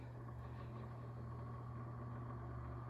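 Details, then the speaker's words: Sears 12-inch oscillating fan 453.80120, Lasko Galaxy-style motor, run on low speed after a slow start: low steady motor hum with a faint light rattle, a worn motor bearing rattle. "little bit of a rattle too it's got the classic lasko galaxy winding the motor wind but it does have a rattle it does have a little bit of a bearing rattle so i don't want to run it too much here"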